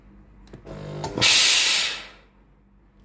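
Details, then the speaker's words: Tefal GV8461M0/23 steam iron after repair for no steam and red blinking water light, upper button pressed: short low buzz from the small pump, then a sharp brief steam hiss; pump working properly. "ตัวนี้ปั๊มตัวเล็กทำงานนะครับได้ยินเสียงปั๊มน้ำตัวเล็กทำงาน"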